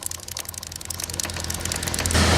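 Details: TVS Radeon motorcycle: fast, rough rattling chatter riding over the engine drone, rising as it runs; the front chain sprocket is badly cut and worn, chattering against the chain.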